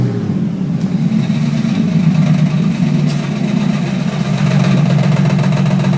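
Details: Holden VR Commodore petrol engine with exhaust disconnected, idling and revving: loose rattly clatter from an old, worn harmonic balancer over a raw puttering exhaust note.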